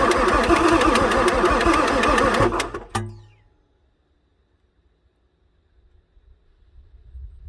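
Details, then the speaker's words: 1994 Ford F-450 7.3 diesel, pre-OBD2, towed in after sitting: long steady cranking, never catches; high-pressure oil pump keeps losing prime, ICP about 0.5 V, starter resting between tries; engine suspected just tired. "well let the starter cool a bit so this thing keeps losing its oil pump Prime for the high pressure oil pump"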